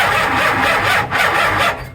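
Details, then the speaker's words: Dodge A100 with a 440 big block, cranking on a weak battery through the ballast resistor: labouring crank that briefly stalls then grinds on, kicking back from too much ignition timing advance. Starter kickback from excessive ignition advance. "too much Ting did you hear it kick back yeah it stopped for a moment"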